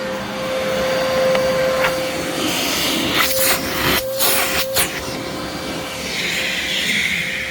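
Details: Brand-new Legacy-era high-filtration vacuum, brush shut off when upright, brief run: smooth even motor whine, steady airflow rush, clean mid-pitched tone, no rattles or grinding; healthy.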